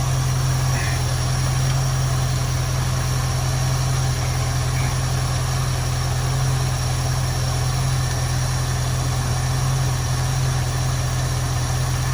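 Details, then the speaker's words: 1973 Ford Mustang convertible 302 V8, Motorcraft 2150 two-barrel carb; deep idle with slightly uneven loping pulse, leaned out by turning the idle mixture screw in until rough, before backing it off to smooth. "i'm going to turn the idle mixture screw in until the engine gets rough i'll back it off a little bit it'll smooth out"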